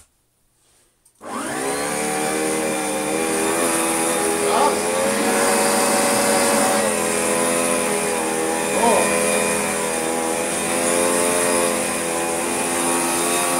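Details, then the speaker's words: Hotpoint Light&Easy (Junior) upright vacuum, restored with spare parts: motor spins up to a steady, smooth whine with even brush hum on carpet, no rattles or grinding; running normally. "that's very good indeed i can hear it caring at the carpet it's running really rather nicely as well"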